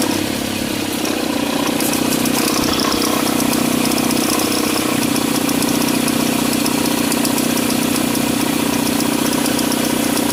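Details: Mitsubishi ASX running: a throbbing buzz and accessory-belt flutter that rise with revs, with visible belt vibration on acceleration; the alternator pulley's internal clutch is worn and no longer absorbs vibration; fix is replacing the alternator pulley.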